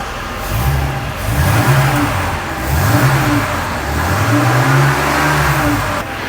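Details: Mercedes R107 300 SL, after fitting a modified part, which had cut out, backfired when revved hot and wouldn't restart until cooled: repeated clean rev blips returning to idle, no stumbling, popping or cutting out.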